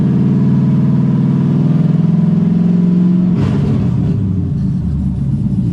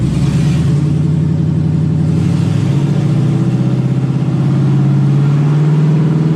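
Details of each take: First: LS Camaro automatic that won't shift, in drive in garage after replugging transmission: revs climb in one long drone with no gearchange drop, then roughen; stays in low gear, owner suspects a solenoid. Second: LS-powered Camaro after fixing a no-shift automatic transmission traced to the rear speed sensor; steady engine drone with two clean pitch drops as the gearbox upshifts on its own into second and third, healthy.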